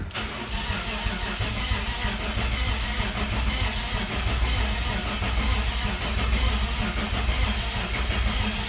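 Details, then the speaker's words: BMW E46 turbo, first crank in a long time with the fuel pump fuse pulled (zero rail fuel pressure) to build oil pressure, none shown yet: sluggish, uneven, laboured cranking that never fires, possible knocking or exhaust-leak noise; weak crank, cause unclear. "Also sounds like a very weak motor. But I don't know. It's been so long since I fired one up, so we'll see. Well, I'm not very confident with the way it cranked over"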